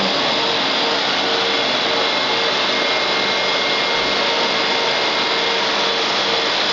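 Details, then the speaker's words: Electric AC compressor in a Nissan Sentra converted to electric, 120 V battery system, speed control at about 6 V: steady even high whir with no knocks or rattles; owner notes slow start, unsure if a problem, runs smoothly. "the compressor is is starting I I hope you can hear it it also starts really slow I don't know if that's a problem but the compressor starts slow"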